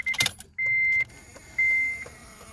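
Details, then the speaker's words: 2007 Honda Civic Si 2.0 (8th gen): high, even buzz pulsing about once a second with the key turned and no cranking. The faulty ignition switch is confirmed because tapping it with a screwdriver while starting makes the engine fire. "all right everybody this is Jacob with make it easy on repair we have a 2007 Honda Civic Si with the famous ignition buzz know start"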